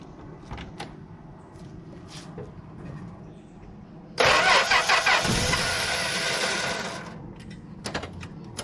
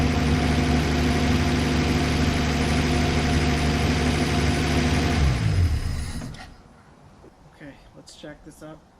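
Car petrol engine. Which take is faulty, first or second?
first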